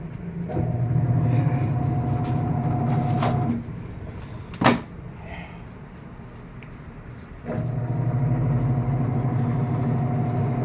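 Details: American Home automatic washing machine after control board replacement for a no-power fault: steady low drum hum in spin dry, a pause of a few seconds, then even pick-up; spin normal.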